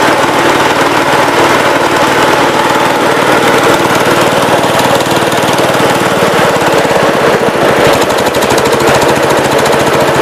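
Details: Cub Cadet 122 tractor with a mounted 42-inch snow blower, driven by a non-original TSC belt: heavy, rapid metallic hammering over the engine the whole time the blower turns; owner blames the blower bearing, a little smoky.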